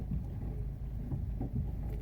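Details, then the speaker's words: Car rolling slowly and reversing gently: uneven low thuds and cracking knock through the road rumble as it moves badly, from a wheel loose on its hub with sheared studs. "Se mueve bien feo. ¿Oye el ruido?"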